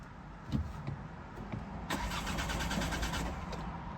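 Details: Diesel car after 5 hours on battery charge, half a tank of fuel: irregular chugging crank pulses about three a second that never catch; dash shows engine malfunction and injector warning, air pocket in injector suspected.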